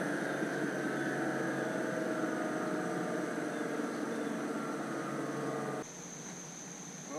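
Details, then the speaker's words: Bear Cat chipper/shredder during repair: smooth even hum from the spinning rotor, no wobble, knock or rubbing; sounds very well balanced; normal running. "I don't know if you can hear that but that's the rotor spinning and that just thing really sings sounds really really good like it's very well"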